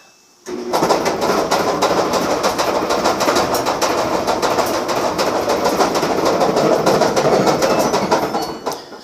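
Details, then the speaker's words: Samsung dryer starting up: a loud, steady clickety rattle from a bad drum bearing assembly, whose rattling has also loosened and damaged the felt belt. "That sound is a bad bearing."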